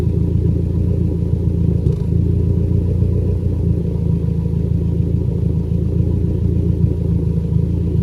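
Low, lumpy idle rumble with a faint uneven stumble about four times a second, mild misfire still present at idle.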